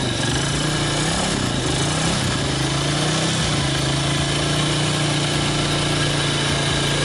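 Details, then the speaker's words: 2006 Yamaha Vega R new single-cylinder motorcycle, after an engine teardown and replacement of key parts for a rough-running, hard-to-kick engine: now idles smoothly with an even note and no knocks or rattles, normal idle. "Oke teman-teman untuk di Yamaha Vega ini udah kelar dan udah hidup dan mesinnya juga udah halus"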